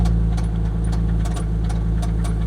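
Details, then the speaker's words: Chrysler LeBaron Turbo at auction, idling; low rumbling idle with sharp knocks about every third of a second, deep bottom-end knock suspected to be a rod, not the transmission; unconfirmed. "Is that the transmission that's making that noise? No. No. It sounds like a rod."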